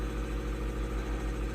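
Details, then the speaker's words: Newly installed shop air compressor, replacing a 37-year-old unit, pumped to about 110 psi with the fan going: steady, even low hum with a gentle rhythmic pulse, no knocks or rattles; normal running. "we just had this thing running I uh pumped it up there a bit to 110 or whatever and the Fan's going"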